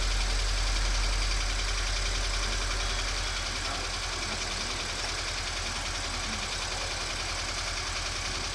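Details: Subaru BRZ engine idling with a steady, fairly regular light tapping about three or four times a second over the hum; abnormal engine noise, cause not clear.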